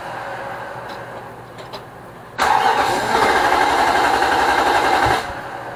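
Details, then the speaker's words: Nissan Armada 5.6 V8 (2006) just swapped into a truck, on its first cold start with fluids filled. The starter whirrs evenly for three seconds and never catches, a crank-no-start. The fuel line and sensors are connected; the owner suspects the crank sensor or the fuel pump. "Houston, we have a problem. It won't start. Fuel line's connected. All the engine stuff is plugged in."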